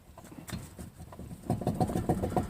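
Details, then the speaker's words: 2006 Chevrolet Trailblazer, about 90-some thousand miles, right front wheel jacked up and turned by hand: rough, rhythmic grinding clicks about ten a second with visible play, showing a bad right front wheel bearing. "So this is one wheel bearing that is bad on this side, so I got lucky, jacked up the right side first and found out this one's bad."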